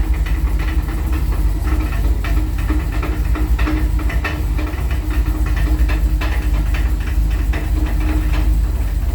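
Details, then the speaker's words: 1984 Dodge D150 with a 360 small block idling in park on the lift; owner suspects a weight fell off the torque converter; uneven metallic rattling, a few knocks a second; it stops with a little throttle; loose torque converter bolts. "like maybe a weight fell off of the torque converter I don't know"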